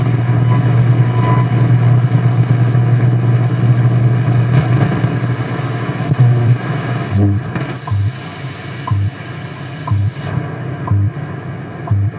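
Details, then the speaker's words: Radio receiver under repair, on isolation transformer and current-limited variac, tuned to shortwave: steady hiss with clean once-a-second time-signal ticks; shortwave reception working reasonably well. "time signal again so it's not working too bad"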